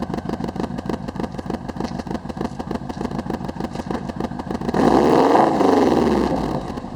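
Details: Subaru WRX at idle and revving: uneven lumpy pulsing and a choppy exhaust note on the rev; misfire, cause not identified.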